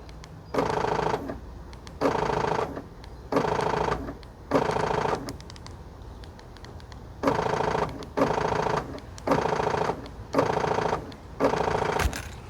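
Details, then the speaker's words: Car door lock actuator operated by key fob: short buzzing bursts about one per second with rough grinding chatter; failing actuator, likely bad electric motor or stripped internal gear, with door not locking or unlocking; fix is replacing the actuator. "It can make a flurrying noise or it can make a click, rapid noise. For example, if I press on this key fob, you can hear that the uh door lock actuator making noise."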